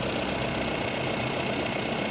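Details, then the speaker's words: Mahindra Bolero Camper 4x4 pickup diesel with P040 EGR fault, engine light on and loss of pulling power: steady idle with gritty, slightly uneven knock and shake, gear lever and seats visibly vibrating, foul tailpipe smell; rough idle. "इसमें थोड़ी सी कमी भी है। यह देखो। देखो, इसका liver हिल रहा है। यह देखो। और ये कार की सीटें हैं। देखो, ये भी कंपन कर रहे हैं।"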